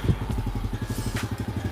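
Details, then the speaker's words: Yamaha Lagenda 115 FI running just after an oil change to High Ref 1540 oil with a new oil filter, checking for leaks: steady, even putter at idle, no knocks or ticks, and slightly quiet; normal idle. "Okay lah, boleh lah. Senyap sikit lah bunyi dia."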